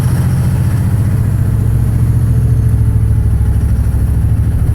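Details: 2006 Dodge Cummins 2500 5.9 24-valve diesel with bad injectors, rolling coal: loud heavy clatter with uneven low thumping pulses at idle; running rough from bad injectors.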